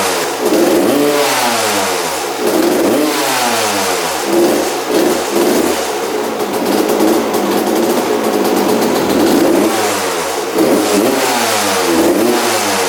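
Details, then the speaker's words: 1993 or 1994 Suzuki RM125 two-stroke, freshly rebuilt: throttle blips with fuel tap toggled on and off; slightly blubbery, hesitant pickup, likely rich and loading up with gas on, crisper with gas off as carb ran low. "all right so I kept on turning on and off the gas and you can definitely hear the difference between the throttle response when the gas was on and off it was a lot crispier with the gas off because it was using the gas in the carb"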